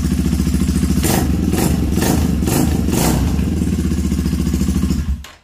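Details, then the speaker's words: Honda CB250 single-cylinder after top-end rebuild (all new upper components) that made a strange dragging noise when cold: even thump at idle, blipped several times, no knocking or clatter, good oil reaching top; healthy engine, valves may need re-adjusting after warm-up. "prenderla completamente quita no tiene ningún ruido ningún ruido feo tenemos lubricación bien arriba y ahí está el el motor solo ruido de motor no hay más"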